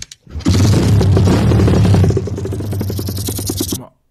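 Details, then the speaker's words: Used dirt bike in a seller's video: loud, lumpy startup with a deep, heavy chugging like a tractor. It is unknown whether the engine was already warm. Abnormal startup noise, cause unknown. "vous avez vu le bruit qu'elle a fait au début on dirait un trac"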